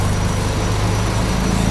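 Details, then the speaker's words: Daihatsu Charade Turbo, after engine restoration work, idling with no throttle and AC on; idle-up works when AC engages, holding a low steady idle with no hunting or stumbling. Normal idle with AC on. "Idih, tanpa digas pakai AC. Ada idelap-nya pas AC."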